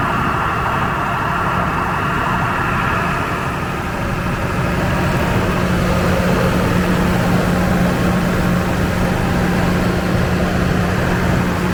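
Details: Standby diesel genset at a warehouse distribution center, oil checked clean and sufficient, test-mode run off-load: steady even drone, constant low hum, no knocks or hunting; normal off-load run.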